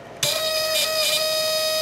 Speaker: you hear that squealing from the relay as those contacts open and close rapidly and because of that we're getting almost 10 milliamps of current on the output side of the transformer here